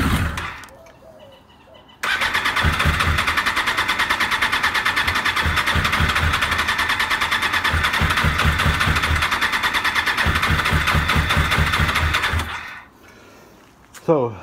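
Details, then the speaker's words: 1996 Suzuki RF900R after cleaning the fuel system, fresh fuel, helped with brake cleaner, fuel pump unchecked: short crank, then fast uneven stumbling running; owner suspects only one or two cylinders firing, fuel system not yet filled; carburetors to be cleaned. "she's struggling yet. Probably one or two cylinders are firing only. Maybe the system is still not loaded up."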